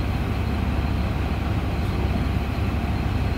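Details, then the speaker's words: 2001 Ford F150 5.4L V8 at 137,000 miles, after cleaning the idle air control valve: steady, smooth idle with no surge at startup. "now it's a pretty good it didn't surge when I turned it on"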